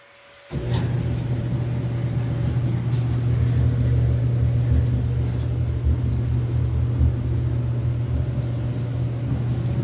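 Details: Samsung dryer after replacing all four drum rollers to cure loud noises, reassembled and test-run: steady low, even hum from the turning drum with no thumping, squealing or scraping; runs smooth and noticeably quieter.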